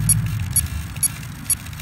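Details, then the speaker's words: Fusion 50 RC helicopter after a quick autorotation and a roughly 2.5-minute flight, battery still connected, motor cold, battery slightly warm: thin beeps about twice a second over a low hum; Castle ESC flagging an unknown fault, suspected blown. "if you hear it's making this beeping don't know what that means I'll have to hook it up on the computer and see what it it means"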